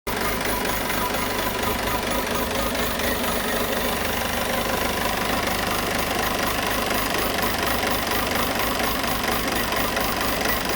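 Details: Peugeot 508 2.0 BlueHDi 180 hp diesel at idle with an odd uneven ticking knock about twice a second over the clatter; source unidentified.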